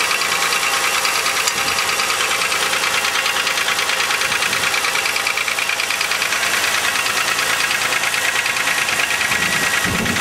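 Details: 2000 Chevrolet Malibu 3.1 V6 (3100), 145,000 km (90,098 miles), gasket replaced, thicker oil tried; cold-start idle with sharp, regular tapping at about three per second over bright clatter, worst cold; owner suspects piston slap, unconfirmed.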